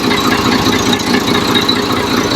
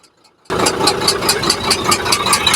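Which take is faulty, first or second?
second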